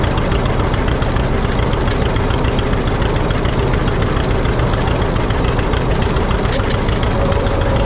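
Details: 1950 John Deere D, reassembled after fixing a corroded exhaust valve and a blown head gasket: slow heavy even two-cylinder thump, no misses; owner says throttle speeds it up too fast, suspects the governor, unconfirmed.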